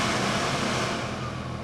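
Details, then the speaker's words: Ford F-450 4x4 ambulance climate control in cool mode, blower at full speed then being lowered; steady, even rush of air easing slightly quieter, smooth with no rattles, normal blower operation. "I have the fan is all the way up, so it's kind of loud, but it's really blowing."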